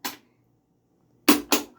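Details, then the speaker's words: 1985 Pinstar Gamatron pinball, first power-up after low-voltage rectifier board fix and MPU and lamp driver install: a single clack, a pause, then three quick snapping clacks as the ball walker mech hunts for balls; solenoids firing normally in ball search. "Hey, solenoids are firing."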